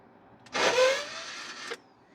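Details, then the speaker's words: Vehicle "Blanquita" with newly installed turbo, after a ground wire fault was fixed: short high whir spins up and dies without turning the engine over; the newly bought starter is slipping, its drive not engaging. ""So, nothing, the starter is slipping." "It's slipping, you son of a bitch, Blanquita's never easy option.""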